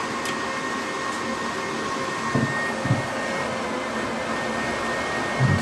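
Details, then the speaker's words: HP EliteDesk 800 G2 SFF desktop with a power supply fault that turns on and off repeatedly: the PSU fan runs a steady high-speed whoosh before the computer is even switched on, with the tach wire connected. No speed control. "so this fan started up straight away haven't even turned the computer on yet so let's turn the computer on"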